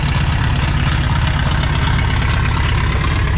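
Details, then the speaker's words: 1960 Pontiac Ventura, base 389 two-barrel V8 with automatic, parked 24 years, only marginally improved after work: a loud, deep, uneven loping idle like a seven-cylinder or cammed engine, running rough with a misfire-like stumble. "it sounds like a 7 cylinder tractor it sounds like it's cammed but it's"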